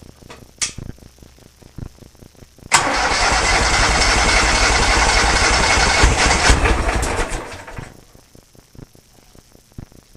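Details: Kohler Command engine in a Cub Cadet garden pulling tractor after new fuel lines: catches at once and holds a loud, even roar for about five seconds with no stumble or misfire before shutoff; running healthy.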